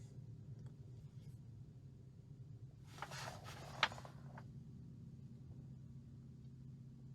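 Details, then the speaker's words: New 2021 Tesla Model Y Performance parked with fans and AC off: faint steady low hum like an electrical transformer fills the quiet cabin; AC makes it worse. An earlier-built Model Y is quiet. "so this is what the experience is like in tesla when you want to sit down like have a snack or you have to wait for someone it's this humming noise that sounds like electrical transformer in the car"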